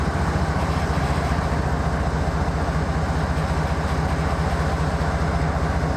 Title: Sidelined KCS ES44AC #4815 with a rough idle - BNSF at Wenatchee, Washington